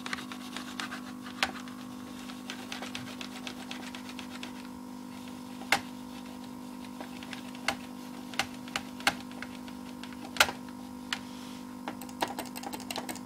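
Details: PC froze suddenly during video playback, which happens frequently; sometimes it recovers after 5-10 min with a graphics card notice, otherwise it needs a reset. Steady buzzing drone with irregular sharp clicks and stutters. Repeating stutter noise, cause unknown.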